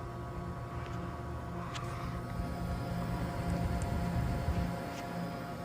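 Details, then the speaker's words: Built-in Monogram refrigerator after its noisy condenser fan motor (WR60X10328) was replaced: a low, steady hum with an even whir and no scraping or rubbing; normal condenser fan operation. "It's very smooth, it's not making any noise now."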